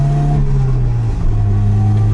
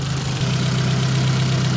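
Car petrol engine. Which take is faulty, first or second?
first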